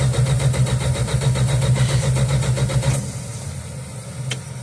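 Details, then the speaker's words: 1969 Dodge Dart/Valiant six, sat 6 months with 10% ethanol gas, primed; starter cranks evenly and rapidly about three seconds, no firing; carb bowl empty, suspected drain-back: cranking, no start. "Yeah, that's pretty much what I thought. There's no fuel in the bowl yet. If I actuate the accelerator pump, ain't nothing get in there."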